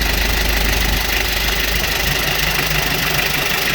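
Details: Used car being reviewed at a dealer, idling: even, steady diesel clatter with no misses, stumbles or puffing, described as crisp; dipstick and oil cap show no blow-by, engine dry with no oil leaks.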